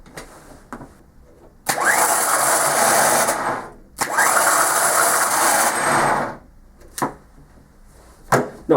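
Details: Ford Transit diesel starter motor bench-tested off the engine, spun twice, loud harsh whining rasp; common fault where clutch dust gets into the starter gear and clogs it.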